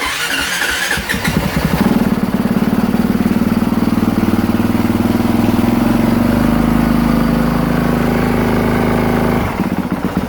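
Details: 2023 Honda CRF450R that would not start, flat dead battery replaced, owner reports overheating: a brief crank catches quickly and settles into a steady, even thumping idle for several seconds before shutting off; starts and runs normally.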